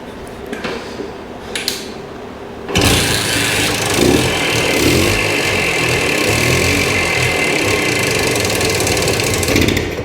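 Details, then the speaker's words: 1965 Montgomery Wards 'Benelli' 125 Scrambler two-stroke, reviving after sitting, oil squirted in the cylinder: catches after a few kicks, then a raspy, buzzy idle that surges and wavers, then dies; owner plans to clean the carburettor. Unsteady idle. "it does this to you he gives you hope and then it Yanks it right away from you"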